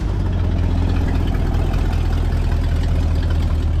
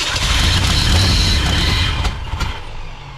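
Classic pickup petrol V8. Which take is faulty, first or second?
second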